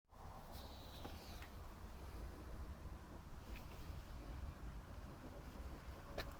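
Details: 1966 Vespa Sprint after rebuild with Pinasco racing crank, Pinasco 177cc aluminium cylinder and CDI 12V ignition: quiet, steady low putter with wind over the mic, running evenly; normal idle.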